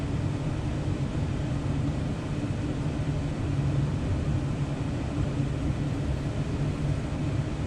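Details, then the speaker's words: Residential furnace blower after it was removed, disassembled and cleaned of heavy dirt: steady, even rushing airflow with a low smooth hum and no wobble or thumping. The earlier vibration is gone. "the problem was vibration so I pulled a blowout disassemble that all cleaned it it was clearly very filthy and that's all it was so now I just turned it on not even moving"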